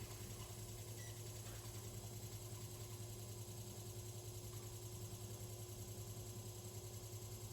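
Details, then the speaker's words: 1970s/80s Limit Ariel 12-inch oscillating desk fan, round-grille model, on low at about 65.6 W and about 728 ft/min airflow; quiet hum under a rhythmic buzz about three times a second as winding insulation rubs the rotor. "I imagine if it wasn't for that horrific noise, this thing would be like whisper quiet on low, but I need to sort out that winding insulation because it's really annoying."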